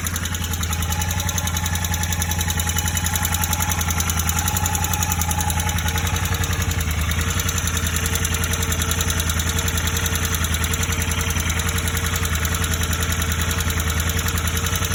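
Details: Royal Enfield Interceptor 650, warm at idle: steady knock riding on every firing beat, about three or four a second; tappets were recently adjusted, and the sound was absent after 10 minutes' idling but appeared after riding down the block; source unclear.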